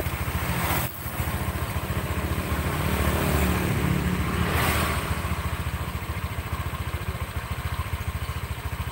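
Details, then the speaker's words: Honda Vario CVT after repair: even, steady pulsing at idle and light revs, with no rough rattle or judder. The CVT now sounds smooth and normal. "Bro ini suaranya sudah halus ya enggak kedengaran kroyok proyek-proyek gitu"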